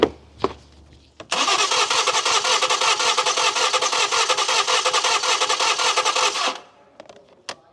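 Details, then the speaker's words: Crank no start car, coils removed for a compression test; five seconds of even, quick cranking with a light, uneven beat. Compression reads 100–125 psi, lowest about 95, against an expected 140–150: low compression. "So we did a compression test. It's ranging from 100 psi to 125. It's a little bit low, but that's all the customer wants to do at this time."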